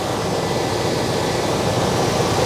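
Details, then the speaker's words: On a 1989 Chevy K1500 with a warm engine and a new fan clutch fitted, a strong, steady air rush sounds over an even idle with no surging. The fan pulls far more air than the old clutch; this is normal. "it's heating the spring up and it's going to allow the fan to uh lock up more but this is this is pulling an enormous amount of"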